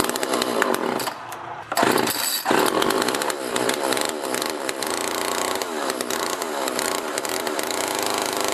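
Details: Homelite LX30 (Super 2-type) chainsaw after a carburetor kit (K10-WAT) replacement, warmed up, air filter refitted and cover off; crisp, even two-stroke buzz that picks up cleanly with no bogging, so it runs well.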